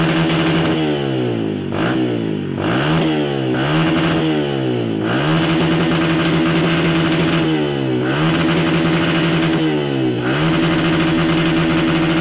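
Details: 2014 Yamaha Vixion revved: revs climb and fall with a ragged, uneven note at high rpm, engine stumbling and losing power when opened up; injection and its dirt suspected.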